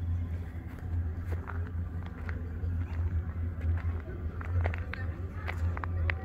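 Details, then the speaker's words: Neighbouring Ford F550-chassis motorhome with its furnace running: steady, deep droning hum under faint outdoor noise, the same loud low drone heard from a Ford-chassis RV; it is the furnace. "it is the furnace that is the craziest thing this is a ford f550 chassis and it's making the exact same noise as that ford chassis was when the furnace was running"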